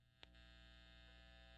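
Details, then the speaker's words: 2008 Gibson Les Paul Custom Classic plugged into amp, volume turned up: steady low electrical hum with faint buzz, disappears when touching metal on the guitar; owner suspects a loose wire inside, possibly fixed by swapping to a more traditional pickup. "very exaggerated but that is there but if you touch something metal on the guitar that goes away so I think there's just a loose wire somewhere in here"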